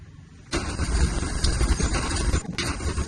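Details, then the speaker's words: Squarebody Chevy truck warming up after a fuel supply problem: it catches after a short crank, then runs with surging, uneven loudness and dips; a rough, unstable idle, and the owner suspects a choke problem. "Okay, so she's got a choke problem. That's okay."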